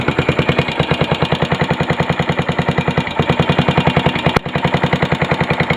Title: yamaha sr500 engine knocking